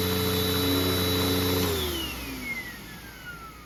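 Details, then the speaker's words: Clogged Tempo upright vacuum running before unclogging: a steady high motor whine with a slightly strained airflow tone that winds down at switch-off; the clog reduces suction but does not stop it, and the bag holds little dirt. "So this vacuum, I was filming earlier today and it has a clog, so let me turn it on to demonstrate."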